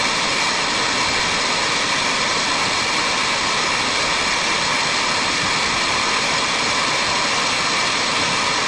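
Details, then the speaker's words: Engine with a compressed-air hose fitted in a cylinder's spark plug hole, heard from under the vehicle with the engine off: a steady loud hiss of air rushing past open valves into the intake manifold. "that that's air rushing into the cylinder and out through let's see so it should have been the bottom of the intake so probably through the intake manifold so air is rushing into the cylinder up to the valves into the intake manifold"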